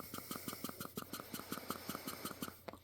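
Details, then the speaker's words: Tillotson HR74A carburetor from a 1969 Ski-Doo Alpine 299cc Rotax, high-speed check valve tested by blowing and sucking without removing the welch plug: quick even clicks about six a second as the ball seats and lifts; check valve working properly. "You can hear the valve opening and closing. And that confirms to me that the check valve is okay."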